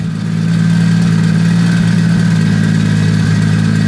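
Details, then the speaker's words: Toyota 2JZ drift build, untuned, running with only a downpipe and no exhaust pipe: loud deep open-pipe idle with steady drone and small uneven stumbles; idle slightly rough, white smoke from oil left in cylinders. "right now it doesn't have any exhaust pipe just the down pipe but it sounds good the car is not tuned so the idle is a bit"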